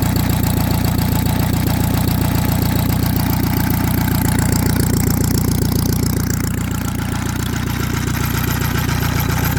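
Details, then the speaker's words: Saxon motor car engine after about 30 minutes of running, steady low idle with a faint gear-like whirr from behind the timing cover. Owner thinks it sounds like gears and plans to take the front apart later to check. Cause unconfirmed. "I do hear a little bit noise behind the timing cover I do hear a little bit of noise behind the timing cover not sure if the camera picks it up"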